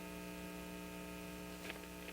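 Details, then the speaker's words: 1950 RCA 9-X-561 vacuum tube radio after re-capping and resistor replacement: steady low buzzing hum that stays when the volume is turned down, no programme sound; power supply hum fault; mains hum. "give it a huh and it it doesn't really go away when I turn the volume down so here's the turn the volume up that turned down that hum is still there"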